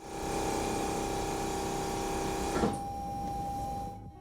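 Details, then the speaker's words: 2011 Mercedes E550 W212 AIRMATIC after new rear air springs and shocks, rear strut inflated via diagnostic active test from about 50–55 toward 65–70: a steady compressor motor hum that cuts off cleanly. Normal air suspension compressor operation. "Let's do active test and inflate the rear suspension. Fill suspension struts. Left rear."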